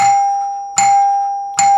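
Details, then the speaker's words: 1955 NuTone K14 recessed door chime, wire moved to rear terminal for single back-door note: three clean single notes about 0.8 s apart, each fading evenly; plunger rebounds near tone bar without hitting; healthy single-tone chime. "if we move the wire from the front terminal to the rear we can get a single note for the back door it's the milk delivery guy"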